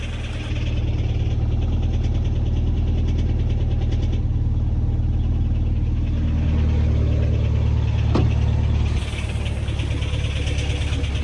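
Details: Subaru Impreza STI idling; steady idle with a faint, fairly even tick about three a second, owner suspects piston slap, not confirmed.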